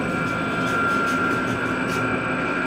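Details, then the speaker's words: KONE EcoSpace MRL traction elevator, installed 2015, 3,500 lb, 8 floors, recorded inside the cab riding down to B2: motor sounds nice but a steady high whistle rides over a constant rushing hum; shaft noise, cause unclear. "The motor sounds nice. The shaft noises do not. Like that. Not a fan of that sound."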